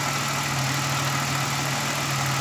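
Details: 2000 Pontiac Grand Prix GTP supercharged that stalled with no codes, MAF found out of spec: smooth, even idle with steady low hum, no stumbling or hunting; engine running cleanly.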